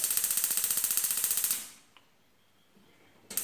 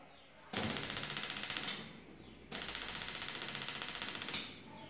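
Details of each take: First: Six-year-old gas stove whose burners are slow to light: sharp, even igniter clicking at about four per second, a pause, then clicking again; the ignition is slow. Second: 6-year-old gas stove, burners previously slow to light; after washing and lightly sanding the parts, two bursts of rapid, even igniter spark ticks, then quiet, with all burners catching quickly: normal igniter clicking.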